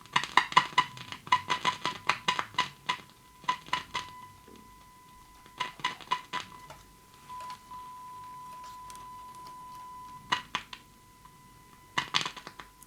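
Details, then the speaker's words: Grundig Satellit 3400 Pro radio on battery after full electrolytic and tantalum recap, 1 kHz signal on external input; test tone drops out and returns when board is tapped, weak intermittent audio output, cold solder joints suspected. "this power is still a bit iffy okay it's there watch this you can hardly hear it now if i tap this here"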